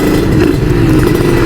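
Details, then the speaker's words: Kawasaki Ninja RR two-stroke with Moto1 ceramic 59mm block and PWK KX85 carburetor, held at steady throttle with light even four-stroking burble, holds any rpm; jetting sounds right. "Nah, itu settingannya enak banget tuh kalau ngegantung di RPM berapa aja dia mau berebet."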